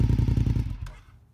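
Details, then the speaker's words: 2002 Honda RC51 V-twin warmed up a little, fast idle lever down to normal run position: brief even loping beat with regular firing pulses, no knock or miss; normal idle. "As you hear it start up, the fast idle lever is down to the normal run position."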